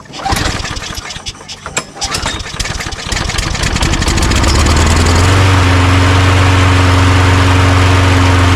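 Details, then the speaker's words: Toro Recycler self-propelled mower, which had run about 30 seconds then died, after carburetor cleaning: coughs through a few pulls, catches at about five seconds, then holds a steady drone. "I don't think I had them on tight enough because the priming bulb wasn't working very good, but now it's working pretty good."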